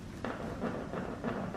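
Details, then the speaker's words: Jeep JL Wrangler with a spare on the stock tailgate tire mount: short creaking groans from the rear on each road bump, as the heavy spare has weakened the tailgate hinges and wobbles. "what happens is over time it just weakens the hinges and the whole tire kind of gets a little more wobbly so every time we hit a bump on the road we're hearing this creaking noise"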